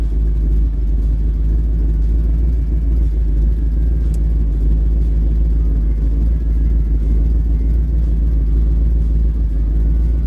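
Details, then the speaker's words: Old Ford "Bonnie" V8 after spark plug replacement, started cold without pumping, a little choke, idling about 750 rpm: deep, even rumble with no misses, idling way smoother than before; normal idle. "Oh, it does sound way better. It's idling way smoother."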